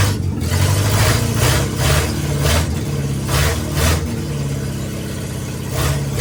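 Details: International Scout 800A four-cylinder, first start in years after sitting in a barn, after the distributor wiring was fixed: fires and keeps going, a low steady thrum that swells and eases with small throttle blips; it's running.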